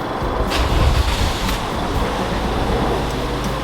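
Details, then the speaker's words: 2011 Toyota Corolla after throttle body and MAF sensor cleaning, idling high at about 1,500 rpm, fast and busy, pending idle relearn. "so this one was high and idle so as you can see it's about 1,500 RPM and it's going to be like that"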